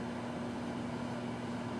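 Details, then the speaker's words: Sharp SMD2470ASY microwave drawer, previously not heating, running a one-minute test: quiet, steady low buzzing hum throughout; the magnetron is running properly and heating. "now listen for the magnetron it's going to be a very distinct sound you can't miss it hear that that's Heating"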